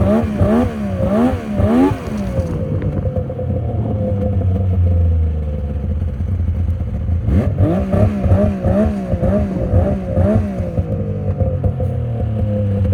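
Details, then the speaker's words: 2000 Yamaha VMax 700 Deluxe snowmobile being revved in short bursts: rough clattering flap under the revs. The drive belt is missing a chunk, which is the suspected noise source. Damaged drive belt noise. "oh I see a chunk taken out of the belt right there that would definitely cause it the noise I'm hearing"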